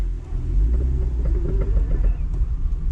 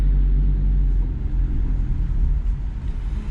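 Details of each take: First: Vauxhall Corsa C at full steering lock: rapid, regular clicking over low road rumble as the wheels turn, a worn outer CV joint, likely driver side; both outer CV joints and a lower ball joint to be replaced. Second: Vauxhall Corsa C after replacing both outer CV joints and a ball joint: creeping on full steering lock in reverse and forward gives only a low, steady rumble with no clicking; CV joints now normal.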